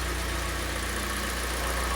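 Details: Kia Sportage restyling with G4NA engine at 100,000 km, overhauled after cylinder scuffing caused knocking following cold starts: even, low idle rumble with a regular beat and no knocking on top; the engine sounds healthy.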